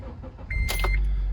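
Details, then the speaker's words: Honda Element about six months after catalytic converter theft repair with a cheap aftermarket cat and new O2 sensors: starts over a short chime and settles into a low, even, very quiet idle with no exhaust drone or rattle. "so it sounds like super quiet not droney super happy"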